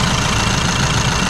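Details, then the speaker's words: VW Amarok diesel idling after a highway run and some hard revving: even, steady idle with smooth low rumble, no ticking or knocking; earlier noise and smoke gone, owner suspects DPF buildup from city driving cleared; normal idle. "Aproveitei que eu tava na estrada e olha só até parou aquele barulhinho que tava fazendo ó parou barulhinho parou fumaça ali ó"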